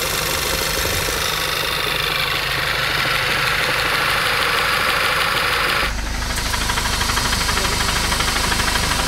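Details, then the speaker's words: 2014 VW GTI MK6 with downpipe: light regular tapping about three per second over steady idle with hissy top end; owner suspects slight rod knock, began after intake manifold change, unconfirmed. "Volkswagens they make noises cars they make noises it sounds like I have slight Rob nock in my car take a listen here"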